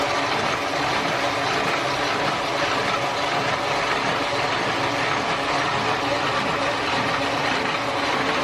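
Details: Small one-color Offset 810 printing press ("mesin toko"), 250 W, switched on and running: steady, even mechanical hiss with no knocks or rhythm changes under light background noise; normal operation.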